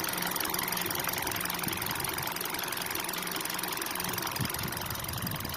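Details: 2012 Kia/Hyundai with manual gearbox, a little over 100,000 km: rapid light ticking over the idle at a steady rate, present whether cold or warm; engine ticking noise, cause unclear.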